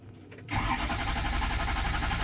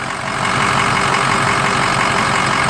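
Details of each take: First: 6.0 PowerStroke diesel after oil cooler install: steady starter cranking that never fires; scan shows FICM main power dropping to about 30 V (under 45 V fails), so it won't start; FICM to be replaced. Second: 6.0 PowerStroke diesel after oil cooler install and FICM installation, first start: steady diesel rumble settling into an even idle, some chirping later; engine runs smoothly without stumbling.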